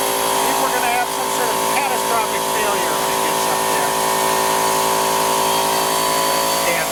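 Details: Husky H1503TP small air compressor, after repairing the broken aluminum pump-to-tank tube that had stopped it compressing: steady high motor whine with even pumping chatter, no stalling or labouring. Running normally and building pressure.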